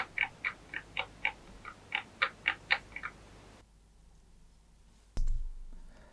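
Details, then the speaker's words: Secondhand Linn Sondek LP12 turntable's basic tonearm: about a dozen light sharp clicks at roughly four per second, then quiet; vertical bearings loose, movement only in the vertical plane, possibly supplied that way rather than transit damage. Tonearm vertical bearing play. "the the bearing rattle that you can hear now and obviously uh the the movement that you can see is only in the vertical plane"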